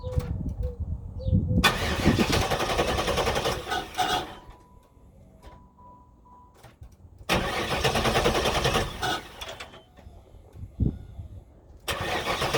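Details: 1994 Pontiac Trans Am Formula V8 that stalled under hard acceleration, then idled low and rough; opti, coil and ignition module replaced, has spark and fuel: three steady starter cranking bursts, never fires; crank no start, owner suspects low fuel pressure or fuel pump.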